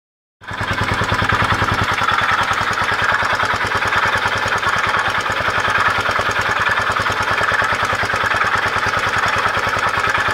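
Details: Honda XL250S single-cylinder motorcycle: rough pulsating grinding rasp over the firing beat, increasing when accelerating.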